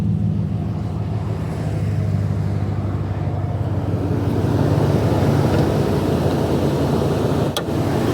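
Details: Engine idling after start on a hot 100-degree day, not truly cold: low uneven lumpy stumble, cylinder 2 misfiring; misfire at idle.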